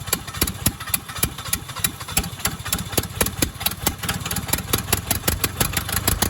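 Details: Cheap used skid steer engine, reassembled with excess valve lash: fast, sharp irregular firing pulses that sputter, catching only on sprayed starting fluid, won't run alone; fuel supply suspect, cause unconfirmed.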